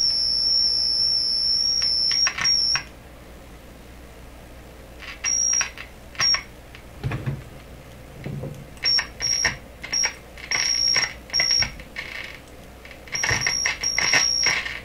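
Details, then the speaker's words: Deforest 10DA517 AM radio fitted with glass tubes instead of specified metal tubes: piercing high whistle cutting in and out with crackly bursts; one of multiple oscillations, cause not yet found. "there's multiple oscillations in this radio and there's the one you can hear the high pitched garly thing"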